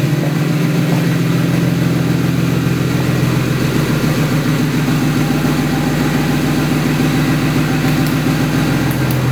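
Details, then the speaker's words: 2008 BMW 135i, first start of a new motor with a single turbo kit, in cold winter weather: strong, even idle pulse with a steady deep exhaust note and no ticking or knocking; the engine runs healthy. "so as you can see it burns like a kitten I'm real happy with this"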